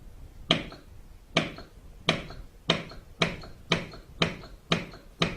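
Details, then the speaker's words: ETATRON DLX dosing pump on pool/spa controller set for proportional dosing, probe replaced by calibration meter and reading turned down: sharp solenoid clicks about twice a second, speeding up further from set point; normal operation. "It's a 1/4 turn BNC plug, and we'll connect on our calibration meter, and I'll now turn the reading down and you'll hear the pump speed up the further we get away from the set point."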